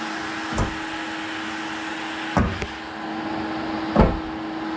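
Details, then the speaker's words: Cheap blast cabinet's extraction vacuum with the door shut, pulling strongly enough to suck the gloves up. Steady, even motor drone with a clear mid hum and a few handling bumps; running normally. "Yeah, so we got cool, good suction. It might be a bit too much, but hopefully it will draw all the dust out."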